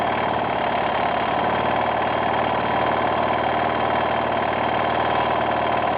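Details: 1992 Yamaha XT600E (3TB) single-cylinder at idle: fast, light tapping riding over the beat; owner asks what the strange ticking noise is, source unknown.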